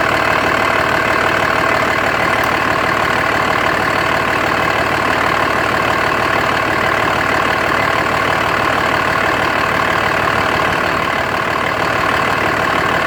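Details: 2004.5 Dodge Ram 2500 Cummins diesel idling with an uneven, lumpy clatter at about three beats a second; owner suspects rough idle and blow-by with excessive vapor from the oil fill cap, cause not confirmed.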